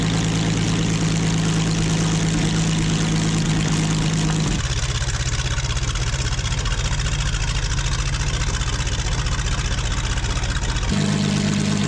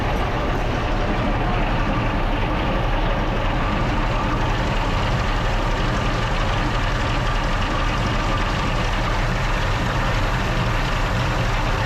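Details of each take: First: Original WWII Maybach HL230 V12 Panther tank engine after tune-up and lowering idle via the accelerator linkage; smooth, even low rumble that settles lower then picks back up cleanly; normal running, healthy. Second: Original WWII Maybach HL230 Panther tank engine during a tune-up, before adjustment; dense, steady low roar with even fast idle, no misses or knocks; high idle speed, fixed by turning the main accelerator linkage one turn.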